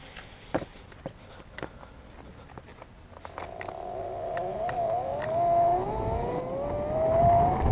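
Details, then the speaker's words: Meepo electric skateboard on a test ride after replacing a truck following an accident: clicks while rolling, then a rough droning growl that climbs with speed from the rear hub motor, not heard before; cause unknown, owner fears bearing damage. "So it's growling, but it's going. I don't know if it's going slower or faster than before, but we'll take it up and down the street a few times."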